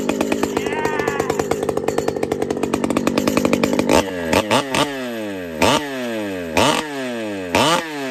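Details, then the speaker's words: Pioneer P-41 chainsaw with big bore kit (P-74), after repair: steady, regular idle burble, then crisp throttle blips returning cleanly to idle. Well tuned. "I'm gonna fire up one more time it's running a little Rich so I'm gonna squeak in the hijet just a tad just a little but just listen to this people"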